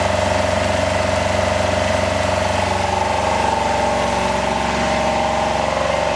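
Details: Home-built Yanmar two-cylinder diesel standby genset in a shed, just started warm: loud, steady clatter at constant governed speed with an even beat, no misses; running normally.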